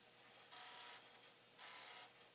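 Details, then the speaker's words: Commodore 1541 floppy drive after head cleaning, about 10% through a check-disk run: quiet drive hum with two half-second raspy whirring bursts. Not the head, but occasional extra mechanical noise; cause unclear. "all right just as i listened to this drive it is it's so noisy not not the head but once in a while it's just making some extra noise so yeah i i don't feel bad about letting this cook"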